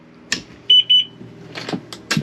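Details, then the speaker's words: Kawasaki Ultra 310 jet ski after installing a Kspeed billet aluminium fuel rail with stock 11mm injectors: inserting the key powers up the fuel pump, giving two short high beeps and a few clicks. The system powers up normally. "That's going to power up the pump, and we're going to go ahead and put our safety lanyard on. Alright, so you could hear that there. That is our system powered up."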